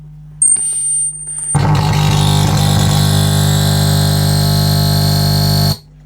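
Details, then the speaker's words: Scharnberg Strauss radiogram turntable under restoration, working but with hardened idler rubber, audio tested through a temporary cable setup: a thin, steady, very high whistle for about a second, then a loud humming buzz; feedback whistle of unclear cause, possibly the setup. "Why the feedback there, the whistle, I don't know, probably with this setup, but we'll get something nicer happening here."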